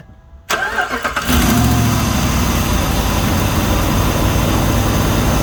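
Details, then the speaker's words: 2006 Jeep Commander 4.7L V8 first start after a water pump replacement: cranks, catches and settles to idle with a quick puffing tick on the exhaust note; an exhaust manifold leak, not fixed here. "i don't know if you heard but it's got an exhaust man to pull big too but i can't fix that here"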